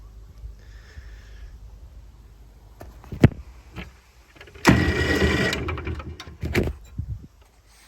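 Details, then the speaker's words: 2004 Honda HF1211 ride-on mower, replacement starter motor fitted, flywheel back on, cooling fins off: short sharp starter spins between quiet gaps, clean whir without grinding or clicking; old starter was faulty, new one works. "all right we have a motor a starter motor so that is good that is excellent news"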